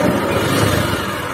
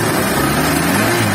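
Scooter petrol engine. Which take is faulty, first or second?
first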